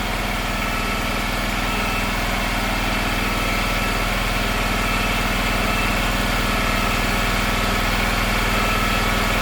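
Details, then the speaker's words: Gravely 260Z zero-turn (about 2006) with Kawasaki V-twin after carburetor replacement: steady fast even idle, too high because the unlocked idle screw had vibrated in; being turned down and locked. "Long before I uh replace this carburetor, I noticed the uh idle had been increasing and uh for some reason and I didn't realize that the screw I guess uh it wasn't locked down."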